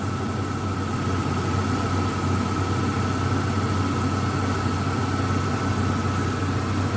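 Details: Ford Ranger at steady idle with constant high-pitched whine, unchanging; loud power steering pump, recorded before adding friction-reducer additive to the power steering fluid.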